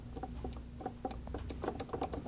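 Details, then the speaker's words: Mercedes SL55 supercharger, engine off: uneven light clicks and dull clunks as the clutch pulley is rocked by hand up and down; worn supercharger clutch pulley bearing with play, replacement advised before it worsens. "so here's a supercharger you see the whole thing is moving up and down can move it up and down so it's not really a good scenario if you look up here the whole thing moves and makes noises while at it"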